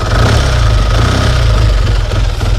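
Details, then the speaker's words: 1954 Triumph Tiger 100 (500) all-aluminium twin, dead cold after sitting unrun for a long time: deep, lumpy burble with light throttle blips, firing evenly without misses; normal idle from cold start. "this is dead cold it's not been run for quite some time so hopefully it should start right up let's give it a try here there you go"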